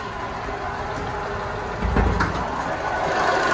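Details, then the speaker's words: Toyota Soluna sitting a week, cold start: steady coarse rattling whir at idle, loudest near the drive belt area; engine power normal, worn bearing suspected, possibly water pump, unconfirmed. "Tenaga mesin mobil saya dan semua hal lainnya normal, hanya suaranya saja yang bermasalah."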